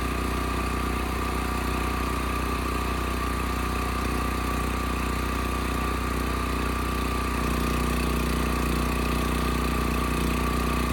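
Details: Westinghouse 7,000-watt electric-start generator after gas tank, dead battery and gummed carburetor were dealt with: steady, even small-engine drone holding constant speed, no surging or misfiring; electric start works well, engine runs smooth. Normal idle.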